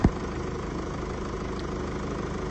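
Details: 2017 (67-plate) Mercedes E-Class with 654 diesel engine, second car after repair of rocker arm knocking: steady, even diesel idle clatter with no stray knocks or ticking; normal idle.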